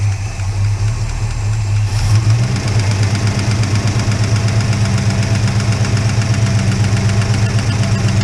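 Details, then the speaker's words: Holden HK engine idling just after start, no oil yet at the top end: rough idle with steady light ticking about four per second from the top end; noisy lifter. "no oil coming up yet there's definitely a kick in there a lift the chip I've got no oil coming up to the top end at the moment"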